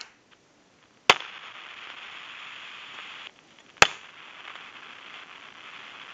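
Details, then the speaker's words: Brass elephant telephone, receiver working, heard through the receiver: loud pops and a steady hissing sizzle. The worn T1 carbon-granule transmitter has gone noisy and needs replacing. "so if you can hear that sizzling and popping through the receiver the transmitter is definitely got to be replaced"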